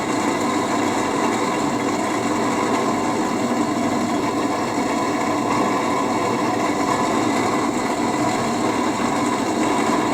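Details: HP 8901B Modulation Analyzer cooling fan before replacement, measured for noise spectrum and SPL: a steady whirring drone with a rough, unchanging hum. The noisy, worn fan was replaced; the new one measured about 64 dB.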